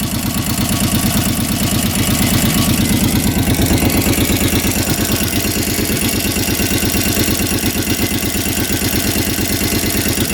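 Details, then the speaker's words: 2006 Kawasaki Brute Force 650 ATV at lumpy idle: sharp steady top-end ticking about three per second; smoking, oil dripping from valve cover, pinched exhaust gasket, low power, won't exceed 30 mph; cause unknown. "I think it's a coolant line up there it might be coming from there but listen to that ticking tick tick tick tick [Music] tick the seller was not kidding this thing does not go over 30 m hour"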